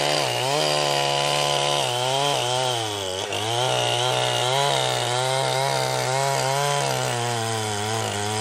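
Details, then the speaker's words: Jonsered 2071 chainsaw, freshly refurbished, first cuts in wood on a full tank: high revs sagging and recovering every second or so while run upside down; owner suspects it was running out of fuel. Surging, possible fuel starvation. "all right well that seemed like a pretty good first trial of the 2071 here it sounded like it was running out of fuel toward the end there when I was trying to run it upside down"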